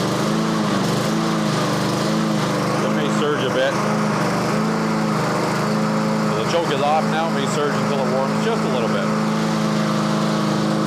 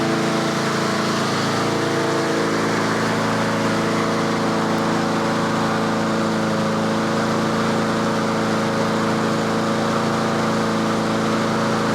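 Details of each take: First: Yard Machines (MTD) push mower after tune-up, blade sharpening and deck cleaning, before oil change: speed rises and falls about once a second with choke off, hunting until warm; surging idle while cold. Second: Yard Machines/Yard-Man 21-inch self-propelled push mower at tune-up, choke off, warming up: steady, even drone at constant fast speed with no misses or surging; about 3300 rpm by inductive tachometer, healthy at set governed speed.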